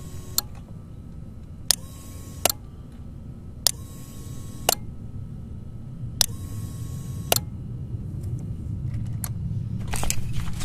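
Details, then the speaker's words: 2011 Suzuki GSX-R 600 with a new, fully charged battery, mic close to the relay: sharp single clicks about once a second with no starter motor spin; the starter relay engages but passes no current to the starter, a bad relay. "now that tells me a few things the relay is engaging and the magnet inside is working so it's connecting to the other side however it's not going to the starter motor"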